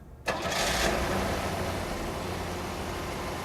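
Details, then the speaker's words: Car with a missing fan belt replaced by knotted pantyhose driving the alternator as a limp-home fix: engine cranks, catches fast and settles into a quiet steady idle with no belt squeal or slip; it works. "I don't believe it it works not the right way to do it I guess but it'd probably get you home in a pinch"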